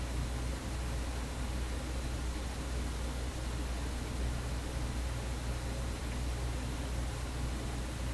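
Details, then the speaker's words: Vacuum tube PA amplifier, after disconnecting the suspected hum source: a steady low mains hum persists under faint hiss, essentially unaffected by the volume control and apparently not from the power section; amplifier hum, source not yet traced. "The hum that wouldn't quit. This one's not really in the power, it's not affected by the volume."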